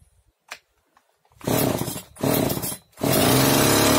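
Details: Oleo-Mac 947 chainsaw, previously started but stalled without choke, after fitting a tube that stopped air being sucked in and readjusting idle and high mixture: catches, blips twice, settles into steady high buzz without dying; normal running after repair.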